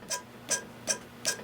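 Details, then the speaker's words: Aqua-Flo Flo-Master XP2/XP2E spa pump motor during repair, rear bearing turned by hand: short gritty ticking bursts, about two and a half a second; the bearing is bad, stops instead of spinning freely, and is being replaced. "that bearing is bad it should Spin and it's stopping"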